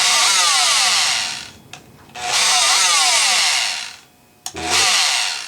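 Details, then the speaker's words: Rockwell Sonicrafter oscillating tool, speed control resistor replaced: buzzes about 1.5 seconds, cuts out completely and restarts twice; intermittent power loss, owner suspects flaky potting-flooded on/off switch; bad solder joints later found. "nope that has nothing to do with it boy stops completely now let's see our on off switch is our on off switch flaky do we need to take that one apart and clean it"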